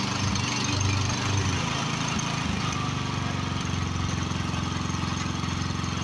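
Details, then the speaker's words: Craftsman riding mower with a 13.5 hp Briggs and Stratton overhead-valve engine fitted with the wrong, spare carburetor: holds a fast, steady idle that never settles down; that carburetor can't get it to idle down. "also the carburetor I have on it is not the right car ready for it it's one I had laying in my shop that just can't get it to idle down"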